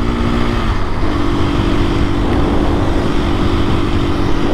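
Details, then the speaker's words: 2024 KTM EXC-F 500 dual sport riding on gravel after the chain was tightened by 2 mm: the single holds a steady, even drone under road and wind noise, with no chain slap or rattle; sounds healthy. "I tightened the chain and it is just awesome. It definitely needed to be tightened just a hair, 2 millimeters, and I don't hear it rattling around at all."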